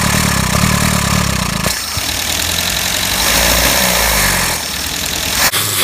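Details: Max the van, engine just rebuilt and timing readjusted: rough start and run with uneven knocking beneath a harsh, noisy engine that surges and dips; knock, cause undetermined.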